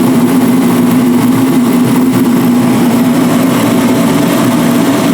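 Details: DXH215HD 215,000 BTU/hr forced-air kerosene construction heater after maintenance with new fuel filter parts, first start with lid off: steady even roar from burner and fan, constant low drone, no surging or sputtering; running normally.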